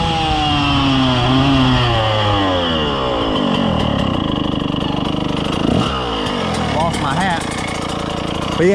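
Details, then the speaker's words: 2000 Suzuki RM125 two-stroke after cleaning and carb tuning, easy takeoff in first and second: revs stumble and bog at mid throttle; owner plans to downsize jets rather than raise needle, cause unconfirmed. "yeah she still got some hesitation to her um a mid throttle so right there uh I don't want to go up too much more on the needle so I'll probably downsize the Jets but you'll hear it I'll take off easy in first and second you'll you'll hear it kind of bogging out"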